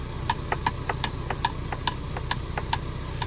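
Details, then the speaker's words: 2024 Ford Bronco, only days old, driving: light uneven tapping knocks about three a second over low road rumble, something banging front to back inside the driver door panel; not the window, seat belt buckle or hard top. "it actually sounds like something is banging from the front to the back to the front to the back on the inside of the door panel"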